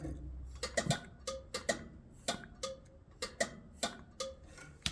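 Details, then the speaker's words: GE top-loading washer GTWN4250D2WS that won't drain and hums: blowing through the pressure switch hose gives sharp irregular clicks, about a dozen in five seconds, showing the hose is not clogged and the switch works normally. "So my hose is not clogged. I can blow through it and hear the click just fine. So that is working correctly."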